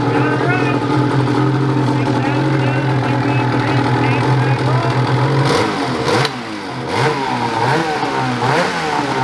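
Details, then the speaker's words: Ski-Doo 850 turbo-modified snowmobile two-stroke after reed failure and reed replacement: steady even idle then clean quick throttle blips; normal running. "just like that boys we got her fixed once again"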